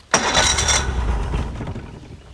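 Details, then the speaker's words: Mercury 50hp outboard on a 16' Bay Stealth boat. It catches with a sharp burst, runs ragged about a second, then dies and won't hold idle without a lot of throttle. Hard starting and stalling; cause not confirmed. "Alright, so we're up. Doesn't sound too bad. Oh, there it went. Let's try again."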